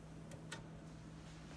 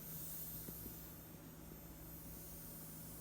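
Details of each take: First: PreSonus AudioBox USB 96 with condenser mic, 48V phantom power switched off after repair: quiet noise floor, faint hum and soft clicks, no hiss; the white-noise hiss returns when phantom power is switched on. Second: Audiobox USB 96 interface running a condenser mic in Studio One: switching 48V phantom power on brings a constant hissing white noise with low hum underneath, which goes away when phantom is switched off; the fault persists after repeated repairs.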